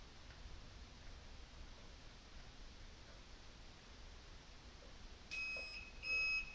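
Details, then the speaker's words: Bobber motorcycle, newly replaced blinker (flasher) relay in garage: couple of shrill high-pitched beeps in time with each flash from the relay's built-in buzzer; blinkers work but sound is terrible, before taping over relay. "I'm gonna turn it on and make sure it works all right well works but thanks terrible sound that's annoying"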